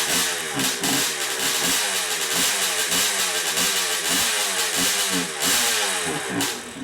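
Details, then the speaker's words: Restored 1976 Suzuki 125 with up-swept pipe, mostly original parts: crisp two-stroke popping revs up and drops back cleanly with even firing and no knocks or rattles; runs healthy. "okay guys that's it she fired off she's running good and uh won't be long we going to be putting it in a bite show"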